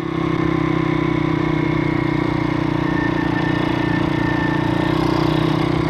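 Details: Stomp CRF70-style YX 160cc pit bike after a valve clearance adjustment: steady, even single-cylinder idle at a constant pitch, no knocks or misses; normal idle.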